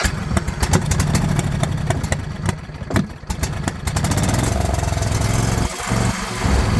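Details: John Deere LA120 lawn tractor with a 21 hp Briggs twin (owner thinks), 204 hours, given as non-runner, battery on 50 A boost charge: small petrol engine stumbles and surges unevenly after starting, never settling; running rough, cause not yet clear.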